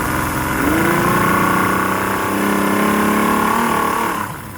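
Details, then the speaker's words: 2006 Yamaha 150 TXR two-stroke outboard with performance and idling issues, primer bulb hard: back in neutral it idles high and unevenly, then sags and putters toward stalling; high idle then stalling. "Kind of idling high now, even though it's back to neutral. Now it's going to putter out again."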